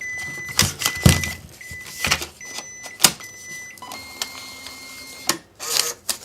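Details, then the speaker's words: Catalina 7 coupon printer reloaded after paper-out: short repeating beeps with motor whirr and sharp clicks as the new paper roll automatically feeds and is cut, after which beeping stops and red indicator goes out; normal paper feed and cut. "once loaded the paper will automatically feed and the paper will be cut off the beeping will stop and the red indicator light will go out"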